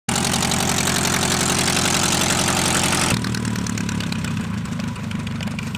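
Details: Pietenpol (Piet) aircraft test flight after engine rebuild, carb heat drop 50+ rpm, max 2525 rpm or better: steady even running, clean note, no misses or knocks; louder, deeper and growlier than before rebuild, climb better; normal.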